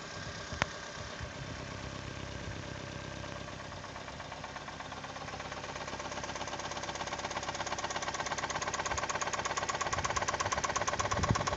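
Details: Toyota 2E engine, started knocking after a 5-minute run at 155 km/h by the speedometer; steady sharp knock about three per second, growing louder, cause unknown; engine knocking.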